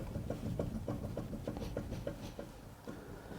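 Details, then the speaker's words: Rover 75 front suspension, wheel on, rocked by hand: quick, regular clunks about three a second from a rough, worn lower ball joint on the wishbone arm, which needs replacing. "Don't know if you can hear that. That's the bottom ball joint moving. It's a bit rough."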